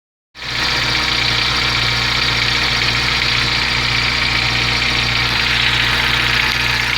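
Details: Volkswagen Gol G4 at idle: loud hissy metallic rattle over a steady low hum, about three or four pulses a second; abnormal engine noise, cause unknown.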